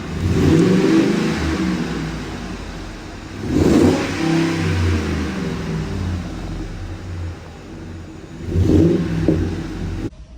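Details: Engine rises and falls through three clean throttle blips with no knock or rattle; normal revving.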